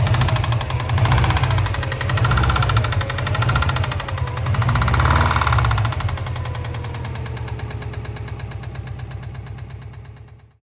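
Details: Subaru Impreza WRX NB (TA-GDA, June 2003, 153,519 km), EJ205, 5MT: heavy, regular deep bottom-end knock that rises with revs. It appeared after a turbo overhaul and an AC compressor noise. The #3 bearing is suspected, not confirmed.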